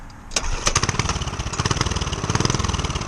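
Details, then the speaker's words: Homemade turbocharged single-cylinder pit bike, chain removed, after fixing leaks and replacing bolts: starts on choke with a little throttle, settles to a quick even putter with no misses, idling without throttle once warm; normal cold start. "then you can go ahead and just turn off the choke, and it literally runs. You got to give it a little bit of throttle for now, but once it warms up, like right now, there's no throttle at all. It's just running."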